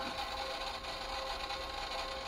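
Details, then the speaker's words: Yamaha KX-630 three-head cassette deck after service and belt replacement, playing a worn test tape: busy, rattly whirring during fast-forward/rewind, louder than it should be; owner unsure whether the tape is to blame. "now it's kinda yeah it's noisy it is noisy when you fast for a new ride that's what i noticed"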